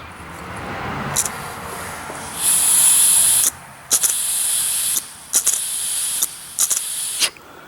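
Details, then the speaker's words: Carburetor float needle valve check after cleaning, blowing through fuel inlet: short bursts of hissing air pass freely once floats drop, showing needle valve opens properly. "when you let go of the floats you should be able to hear the air come through that means it's working properly"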